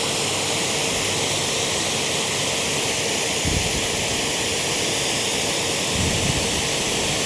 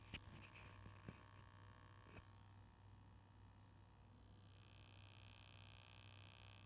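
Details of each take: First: Active 3.0 pressure washer (rated 3 GPM) with 100-ft 5/16 hose during PSI test, settling at 835 PSI; steady, even rushing hiss with no surging or pulsing; holding pressure and spraying normally. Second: Active 3.0 electric pressure washer just switched on, motor not turning, measured with clamp meter: low steady mains hum with a few clicks; unclear if the hum comes from the test setup.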